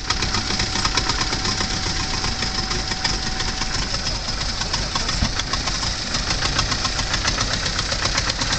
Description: Porsche 924 has very hard starts and will only run briefly, trying to diagnose the cause